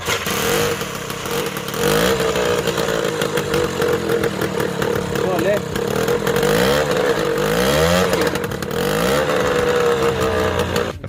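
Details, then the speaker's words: TVS Super XL after magnet coil replacement, kick-start spring broken: single-cylinder revving with a harsh, raspy, overly loud exhaust bark; silencer cracked, gas welding suggested but postponed by the owner. "బండి silencer sound అయితే చాలా వస్తుంది, silencer అయితే పగిలిపోయింది అనమాట."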